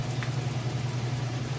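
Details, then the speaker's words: Whirlpool Roper washer, a few years old and in like-new condition, on the spin cycle with a large load of towels and jeans: a steady, even low hum with no knocking, banging or scraping. Quiet and level, a normal spin. "And now we are in the spin cycle. As you can see, it's working great. It's nice and quiet,"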